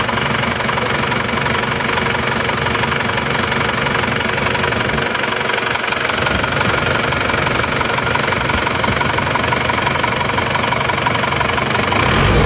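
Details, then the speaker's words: Older Isuzu Panther diesel, reference engine recently overhauled without piston replacement, first morning start: steady, even, quiet clatter with smooth, uniform engine shake and no extra knocks; healthy, normal diesel idle. "suaranya malah jauh lebih halus ini ya lihat walaupun tahun tua suaranya malah lebih senyap dan goyangan mesinnya pun juga rata"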